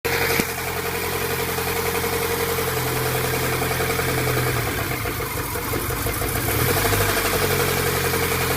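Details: VAZ 124 engine at idle: a light, uneven knock rides over the four-cylinder engine note; engine knock whose source needs closer checking.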